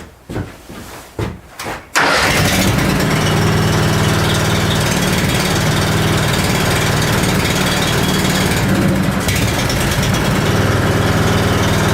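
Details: Honda machine unused since last spring, 6.1 hours on the meter, started on choke on a cold morning: a few pull-start tugs, then it catches and settles into a steady, even idle with a clean, regular beat.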